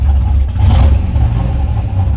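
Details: 2011 Chevy Silverado V8 after new cam install, ARP head studs and head gasket repair, exhaust valve open: deep, heavy rumble swelling with a quick throttle blip and settling back; strong, healthy cammed V8.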